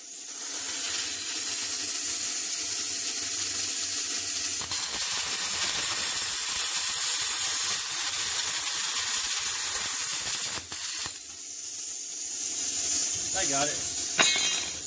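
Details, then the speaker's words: Hynade PLC-50DP budget pilot-arc plasma cutter cutting quarter-inch powder-coated steel grounded to bare metal: steady strong hiss with crackle, broken by a few short stops; cuts cleanly, operator needs practice. "needs a little practice but i got through it and made it pretty nice to cut all things considered"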